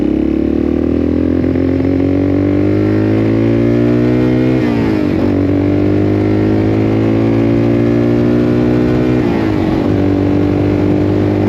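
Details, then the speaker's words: 1984 Yamaha XT600 single-cylinder in the desert after swapping wrong-sized carb jets for correct standard jets, pilot screw at 1.5 turns: climbs cleanly through the gears, pitch rising smoothly, no stumble or bog; healthy acceleration, best it's ever run. "Actually, that seems better. Honestly, that seemed way better. >> Like we got power. >> That was the best it's ever been."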